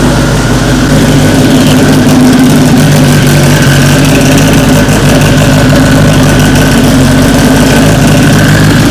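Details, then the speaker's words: AWD Honda Civic Si, about 1000 whp, first start in over a year: loud, steady, even idle with a constant low drone, no misses or knocks; normal idle. "All right, that first start went abnormally perfect. Just ridiculously smooth."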